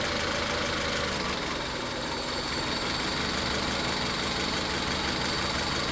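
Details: Misfire test using power balance by unplugging coils: idle rough and stumbling; runs unchanged with cylinder 3 disconnected, confirming cylinder three misfire that is not spark-related, root cause still unconfirmed.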